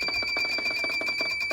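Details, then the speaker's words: Sump pump alarm after the pump was replaced: a shrill, piercing alarm pulses rapidly and won't stop even with the pump unplugged and reset pressed; the water level is unchanged and the cause is unknown. "Let's see if we're still beep beeping. Yep, I hear it. Yep. We're still beep beeping."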